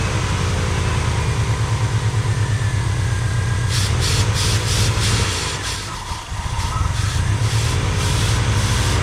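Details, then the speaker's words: 1985 Pontiac Trans Am V8, 34,000 miles, parked since 1998. Deep, steady idle with an even low rumble and a brief dip midway; smooth, no knocks or misses. "But we got her running and it runs good. Okay. Well, she sounds good. Of course, at 30 uh 34,000 34,000 mi, I think you'd sound good, too."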